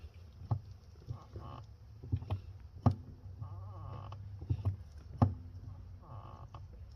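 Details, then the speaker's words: 2011 Mercedes-Benz R350, engine off: short thin squeaks and soft clicks each time the brake pedal is pressed; owner suspects a metal contact under the brake pedal needs lubrication. "got a little bit of a problem with my brake pedal as you can hear it make this Sweet Sound"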